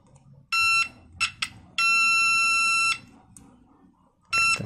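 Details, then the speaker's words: Homemade 9 V buzzer continuity tester (alternative to a multimeter) checking a transistor: several clear high beeps, one held over a second, each time the probes touch, continuity both ways; transistor is shorted/dead. "aja ini transistornya tadi sudah jelas ini sudah mati ya"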